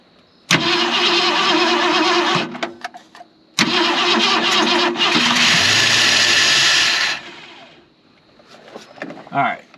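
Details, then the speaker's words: 1968 Ford Galaxie XL's first start after 38 years parked: loud, uneven running with a harsh vacuum-cleaner-like hissing from the carburetor area; vacuum leak. "why is it so loud it sounds really good even though you can barely hear the engine because of how noisy the carburetor is sounds like a vacuum cleaner"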